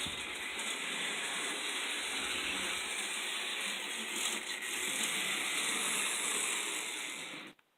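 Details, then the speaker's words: Vintage Märklin 3000 model train locomotive motor running: smooth, light high-pitched whir at even speed, no grinding, stutter or sparking; runs well, though the points and possible connector crud slow it slightly. "This thing doesn't spark, it doesn't complain. I mean, it just sounds right."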